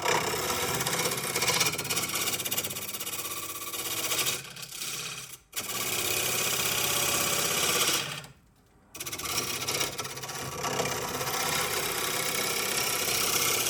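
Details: Wood lathe cutting a punky spalted oak bowl: harsh, rapid rasping chatter under the cut, stopping when the tool lifts; workpiece vibrating on its wood screw chuck.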